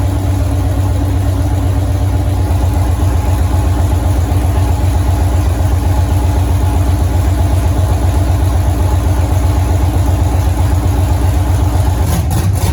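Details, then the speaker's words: 1983 Ford Mustang with LS-swapped 5.3 V8 from a 2002 Avalanche, rebuilt with cam upgrade, 4L60E trans, first start: strong steady low rumble with even lope at idle, no knocks or misses; normal idle. "So we fired the motor up there. Everything sounds good there."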